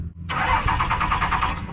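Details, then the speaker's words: Diesel truck cranks steadily at about eight chugs a second but won't catch; no power reaching the fuel pump so no diesel gets through; fuse under the hood suspected. "There's no power going to the uh to the pump there. Might be an easy issue. Might be just because you get no power going to the uh pump"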